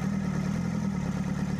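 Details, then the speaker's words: Colt Diesel truck, after bleeding fuel system and starting: short even diesel idle with steady low clatter, no stumbles or knocks; normal idle. "dan suaranya pun juga enak dan kyky suaranya UFO untuk sini ya"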